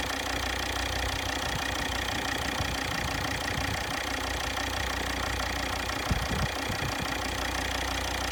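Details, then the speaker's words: Volvo XC60 D5 diesel, possibly Euro 4 engine, idling, listened with long screwdriver to the injectors; sharp, fairly regular tick about three times a second over the clatter; one injector may be ticking abnormally, faulty injector suspected. "There's an old school way of checking injectors to see if they're all ticking properly. It's using a long screwdriver and your ear, and you can actually hear the injector clicking as it fires."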